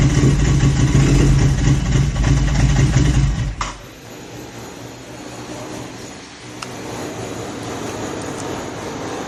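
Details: Royal Enfield GT 650 with an idle issue: loud low exhaust throb suddenly drops to a weak, uneven idle with a patchy, stumbling beat; possible misfire suspected, cause not confirmed.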